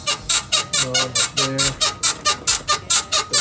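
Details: BMW E53 X5 suspension with the body rocked by hand gives a sharp, rhythmic squeak about twice a second, traced to the worn right rear upper control arm bushing; fix is replacing the rear upper control arm.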